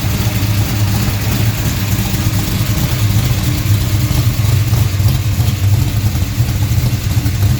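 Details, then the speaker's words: DCI Motorsports 535 RA5 tunnel-port pump-gas engine, about 850 hp, all-aluminum, port fuel injection, cam 250° at .050 on 118 LSA: deep, choppy, lopey idle around 1,000 rpm, a normal idle from cam overlap. "Cam's still got a little bit of overlap. You can hear it's got a decent idle to it. Again, it's idling around 1,000 RPM."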